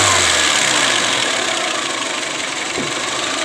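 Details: Chevrolet Spark 1000cc with engine dropping and stalling when AC on, fixed by ECU data manipulation after manually jumpered AC wiring upset throttle signal; revs ease down to a steady, even warm idle, no misses; normal warm idle.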